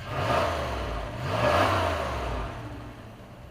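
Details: 1997 Dodge high-roof van, 360 V8, automatic, started after sitting 5+ years, headed for scrap: two clean throttle blips rising and falling smoothly, revs freely; normal revving.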